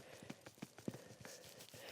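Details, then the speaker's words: Driver's-side front CV axle removed from a 2014-2018 Silverado or Sierra, about 150,000 miles, flexed by hand: irregular light clunks and clicks from excess play; worn CV joint, going bad about a year, replaced with new axle. "So this driver's side was the axle that I thought was going bad. And if I play with this, you can see that movement here in the CV joint."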